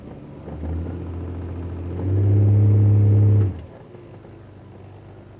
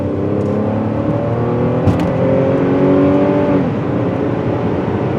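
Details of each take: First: 2009 Buick Lucerne CXL 3.9 on a cold start, no-codes misfire complaint: low uneven stumbling idle with occasional blips; misfire history 16 on cylinder 1, a dead cylinder. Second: 2009 Buick Lucerne CXL 3.9 with cold-start no-codes misfire complaint, driven at full throttle: pitch climbs steadily then eases, even and smooth, no stumble or skip; not misfiring under heavy load.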